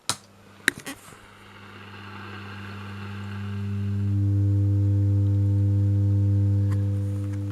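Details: Pye model 1113 vintage transistor radio: after a few clicks a deep steady hum swells in the speaker once warm, caused by a shorted driver transistor's metal case touching the chassis when the amp board swung down; the rectifier was initially suspected.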